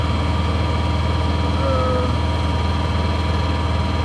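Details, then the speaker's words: Honda EU7000is inverter generator on eco throttle, back-fed into the panel, running a two or two-and-a-half ton central air conditioner: steady, even drone with soft four-per-second pulse, no hunting or surging; runs the load efficiently, normal. "that's how a Honda 7000 will run a two ton I believe it's a two or two-and-a-half tonne home air conditioning and it runs it very efficiently"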